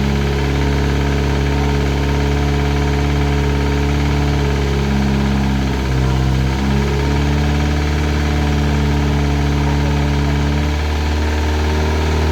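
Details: Classic Mini turbo, first start, ECU on laptop with lambda sensor: steady idle with a light, even knock following engine speed, from up top at the rocker cover; sounded almost like a big end; valvetrain knock.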